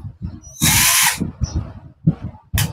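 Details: Cordless electric drill tested on its battery, which was not fully charged, before repairing the reverse switch: two short bursts of bright, high-pitched motor whir spinning up cleanly between quiet handling; motor runs normally.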